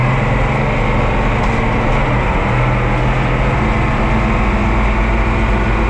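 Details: Oliver 2255 front-wheel-assist tractor on a test run after a service of engine oil, transfer case, front axle, rear end and hydraulic oil: a deep, steady diesel rumble at an even speed with no knocks, misfires or rattles. Normal running.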